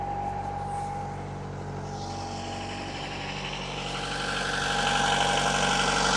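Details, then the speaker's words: Diesel, unrun for a while, in forward gear, revved up to 1500 rpm while warming: even, steady drone with a smooth, regular beat and no knocks or misses. Normal diesel running at 1500 rpm. "Okay, I'm going to bring the RPM up now. Okay, I'm at 1500 RPM."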